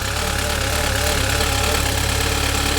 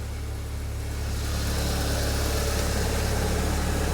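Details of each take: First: Saab 9-3 Convertible at startup: a steady hum with an uneven tapping about three a second layered on top; unidentified noise at idle that then stopped on its own. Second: Saab 9-3 Convertible, which reportedly has an oil leak, after an unidentified noise stopped: smooth, even low idle with a steady beat and no knocks or odd noises; normal idle.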